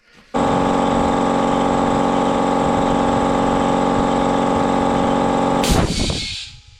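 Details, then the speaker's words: 7-year-old Stanley 2.5 hp belt-drive air compressor, 190 L/min, after replacing the faulty regulator: steady even motor-and-pump drone building pressure, no knocks or leaks, then shuts off; normal running. "now all that's left to do is test it fire it up get it up to pressure"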